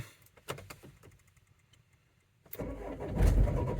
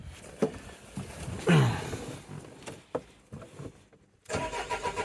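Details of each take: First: 2004 Renault Trafic 1.9 dCi diesel, crank-no-start, battery previously disconnected: quiet clicks then sluggish, labouring crank with dull low thumps that never catches; cranking sounds weak, so a boost pack is added. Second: 2004 Renault Trafic 1.9 dCi diesel that had cranked without starting, after injector wiring was found rubbing through near a loose airbox: it cranks, catches and settles into an even diesel rumble with no misfire, starting fine.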